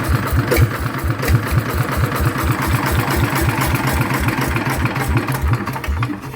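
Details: Rebuilt single-cylinder Yanmar-type diesel on a loader, upgraded to 100 mm piston with No. 2 cam, hard first start; slow heavy thump about eighty-five beats a minute, steady with no knocking: normal running.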